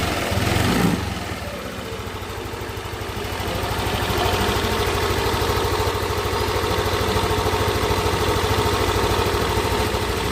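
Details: Yamaha NMAX scooter after repair of a rough-running engine; a steady, even idle with a soft pulse of about three beats a second and no knocks or rattles, sounding healthy.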